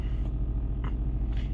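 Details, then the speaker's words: Smart 451 1.0i petrol starting normally in neutral and settling into a steady, even low idle with smooth pulses and no knocks or misses, in eco mode; its no-restart fault after switching off is blamed on the clutch actuation. "Mira el coche arranca todo perfectamente vale con su revoluciónes todo perfecto en modo eco todo todo todo bien"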